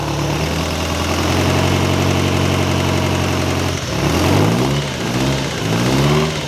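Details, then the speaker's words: Ferrari 308 GTS fully rebuilt V8, just started after about four years: steady even burble at idle with a few clean rev blips; good oil pressure, no leaks, timing may need slight adjustment. Normal idle. "well that's not bad running and idly like that after four years sounds like we could do a bit more timing just adjust the timing a little bit good oil pressure no leaks"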